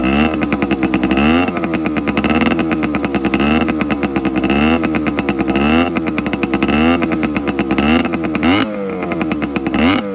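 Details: TC125 two-stroke dirt bike after a carb clean, a new fuel line with filter, and a switched spark plug: crisp blips up and down, picking up cleanly and settling back each time with no stumble. Healthy two-stroke running.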